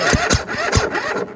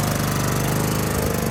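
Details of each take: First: Husqvarna tractor with a Kohler Courage engine. A few heavy, labored cranking strokes slow and die within 1.5 seconds; it rolls over briefly, then stops. Others blamed too much compression; the owner suspects the starter. Unconfirmed. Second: Husqvarna tractor with Kohler Courage single-cylinder, previously no-run with too much compression, now repaired with new starter; runs with even, steady beat, no knocks or misses, tone rising cleanly as throttle opens.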